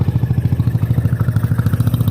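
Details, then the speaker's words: Yamaha Zuma scooter with GY6 engine swap and new exhaust, first start of the day: crisp even single-cylinder putter about nine beats a second, idle a touch high when cold, otherwise healthy. "now it's the first start of the day so yeah she's idle up a little high but"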